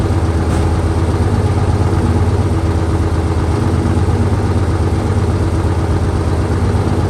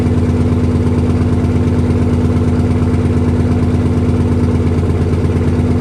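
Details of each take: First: 1968 Dodge C500 truck on a cool day, about 15° colder than before, started via jump from another truck and starting fluid: low, steady thumping idle with an even beat, no knocks or misses; idling normally. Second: 1968 Dodge C500 truck, first start after long storage inside a quonset hut, 55°F day; steady even idle, regular low beat around two per second, heavy smoke filling the building, oil pressure good, air building to 90 PSI; heavy smoke at idle.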